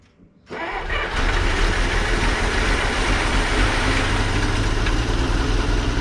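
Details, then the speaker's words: 1933 Dodge Brothers flathead 6, first start after long sitting on starting fluid: cranks, catches after a half second and runs with an uneven lumpy beat; carburetor not metering properly, later found empty of fuel. "Yeah, carburetor's not happy, but it runs."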